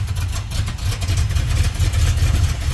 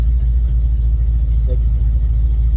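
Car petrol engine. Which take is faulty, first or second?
first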